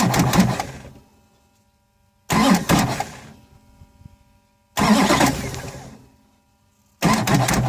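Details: 2006 Duramax LBZ with Allison 6-speed, 260K miles, new fuel filter head, clean fuel, no codes: with the key held, the starter grinds about a second, drops out, and recranks every two to three seconds without firing. Intermittent slow crank, no start.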